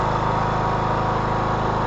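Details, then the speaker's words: 2014 Troy-Bilt Bronco with Kohler 17 HP Command engine, after adjusting the choke/throttle cable: steady even single-cylinder drone at constant speed, no misses or surges; normal running, full carburetor control restored. "Yeah, now that's what you want. Full control of the carburetor is restored. This mower sounds really good."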